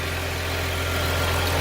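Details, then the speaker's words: Jaguar X-Type at idle with P0170/P0174 codes: steady airy hiss over a smooth idle, heard through a garden hose held to an intake pipe, pinpointing a vacuum leak on that pipe. "I found this leak here on this pipe this one I put one end of the hose near to this one and one end to my ear and I heard strong noise"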